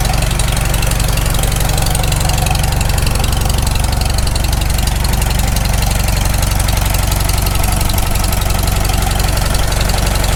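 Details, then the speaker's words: Farmall Super M tractor, first start after full engine rebuild, initial carb settings, still cold: steady even low thump about four beats a second, no misses or knocks (owner expects knock once warm); normal idle. "i can't hear any knocks yet oh it's still cold it'll knock once it warms up"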